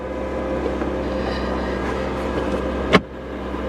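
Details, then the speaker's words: 2021 Ford F-150, jump-started: steady, even low rumble at idle with no misses or knocks, only one brief click. Runs great. "I'll be damned. It actually runs great. It actually runs really well."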